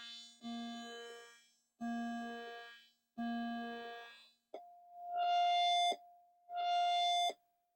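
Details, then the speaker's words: Commodore 128, unpowered for a long time, sound chip test: clean, steady synth tones in separate notes with crisp starts and no crackle or buzz; normal sound output. "Yeah, that sounds okay. Quite clean."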